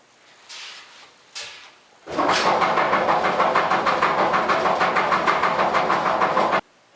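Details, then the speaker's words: Running clothes dryer: major rhythmic clunking about three times a second from worn drum support rollers. "if you have a major clunking sound when your dryer runs then I'm going to show you how to easily fix it"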